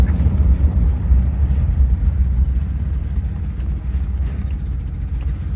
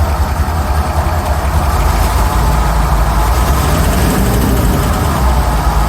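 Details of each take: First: Rolls-Royce Silver Shadow at idle after driving on a cobblestone road: deep, uneven puffing throb; idle is okay but there is a huge exhaust leak. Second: Rolls-Royce Silver Shadow V8 idle just after replacing spark plugs: deep steady rumble, much smoother; previously running on fewer than 8 cylinders, still shaking a bit, which is not normal, but much better.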